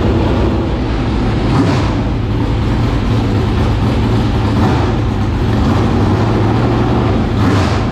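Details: 465 cubic-inch V8 race engine, first start in three years after getting better fuel pressure: a deep, loud, steady roar that settles down after being revved, with no misses, stumbles or knocks; healthy running.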